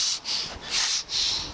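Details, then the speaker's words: Ace Max Am 152R go-kart, 150cc GY6, running after new clutch install: short bursts of sharp hissing as air escapes where the tire bead won't seat on the rim; pressing the leak down makes it leak elsewhere. "Unfortunately I can't drive it right now because my tire is not holding air. Can't get the bead to set. Can hear it."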